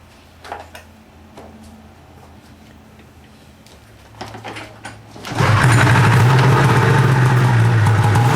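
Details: Arctic Cat two-stroke snowmobile after a temporary throttle positioning switch fix (previously shut off whenever the throttle was squeezed), choked and pull-started: a few pulls and knocks, then it catches at about five seconds and settles into a steady, buzzy idle.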